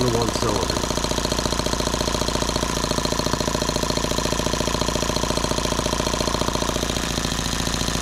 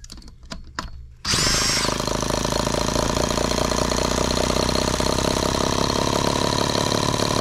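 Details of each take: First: Microcosm H76 twin model engine after valve lapping and new rings, switch at low speed: fast, uneven, lumpy popping at about three and a half per second, running on one cylinder with one dead. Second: Microcosm H76 twin-cylinder model engine after valve lapping and new rings, run without water hopper: quick start then high, buzzy, even run at steady speed, firing cleanly on both cylinders.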